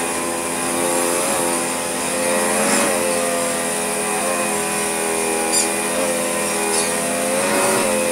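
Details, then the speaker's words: Hotpoint Light&Easy (Junior) upright vacuum, restored with spare parts: smooth, steady high motor whine, even pitch, no rattles or grinding while working the carpet; running normally. "that's very good indeed i can hear it caring at the carpet it's running really rather nicely as well"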